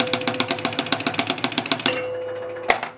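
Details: 1976 Gottlieb Target Alpha pinball after the bonus scan disc was repositioned, out hole closed manually: the score motor clicks evenly and fast, then two bells ring for the outside drop targets. The bonus scoring now works correctly.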